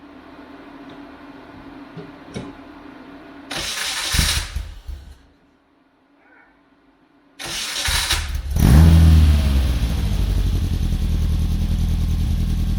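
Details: Saxo VTR-engined Hillman Imp, unused for two years, right after fitting new Denso spark plugs to cure idle stalling: first crank burst dies, second catches and settles into steady even idle, no popping; starts fine.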